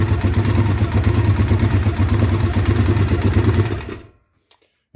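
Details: 2009 Polaris Sportsman 800, sat six months, bad fuel pump, injection cleaner in fuel; injectors possibly gummed: engine held high with firm, even low drone, no stumbling, before cutting off; pulls cleanly mid-range to wide-open throttle.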